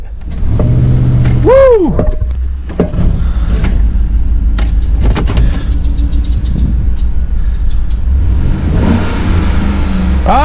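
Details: 2010 Chevrolet Tahoe Z71 5.3 V8 after replacing spark plugs and plug wires to fix a misfire and clearing codes: deep, even rumble that picks up smoothly on a rev, with no stumble or miss.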